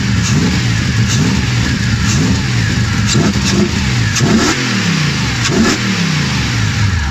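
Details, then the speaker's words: BMW M60B44 V8 hybrid (M60/M62) freshly built engine: first start after installing, building oil pressure and confirming compression; fires and revs up and down repeatedly, pulling cleanly from a deep burble, no knocks or misfires, healthy. "massive relief it runs"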